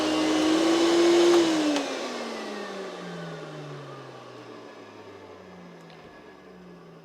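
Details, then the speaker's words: Hoover Celebrity QS canister vacuum during repair testing, switched from high to normal power: a steady high motor whine that winds down smoothly after switch-off, with no grinding or rattle. The motor sounds healthy for its age. "sounds alright for its age in fact it is all right for its age"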